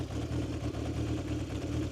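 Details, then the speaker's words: 1970 Honda CB750 K0 four-cylinder, rebuilt engine with 2,000 km since, recorded from behind the bike: deep, even exhaust rumble, steady pulses, no misses or rattles; sound called brutal; normal healthy exhaust note. "When you uh It the sound is brutal. Love it."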